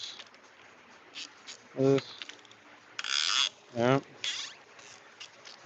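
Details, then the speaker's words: During an engine build, three loud, rising, squeaky creaks a couple of seconds apart as the load shifts; something on the wheeled stand is loose and judged unsafe to use. "don't know if you guys can hear it creaking through the mic. Yeah, you can't have that. Not safe to use."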